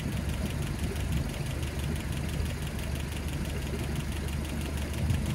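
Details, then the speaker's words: Land Rover Series 3 during valve clearance adjustment, idling, listened to through a hose: fast, light tapping over the engine hum; number three valve (possibly seven) still tapping from excess tappet clearance, then reset again. "and seven so seven is still tapping three and four oh that's strange okay maybe i'll have to do them again i think it's just three"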